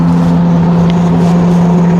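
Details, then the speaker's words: New Webasto Thermo Pro 90 diesel coolant heater replacing failed Eberspächer on a Demag AC220 mobile crane, first test firing with glow plug and fan on; steady, even roar with constant low hum, no sputter or surging, clean normal combustion. "She's a little but she's roaring. Oh, yeah. Houston, we have lift off. We are well away."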